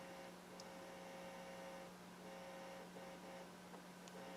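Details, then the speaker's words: Bryston 0.5B preamp with 3B amplifier, nothing connected to inputs on CD auxiliary: steady low mains hum with faint buzz above, preamp picking up the amplifier transformer's field; lost ground connections suspected as hum source. "Any place where you lose a ground connection, you can introduce hum."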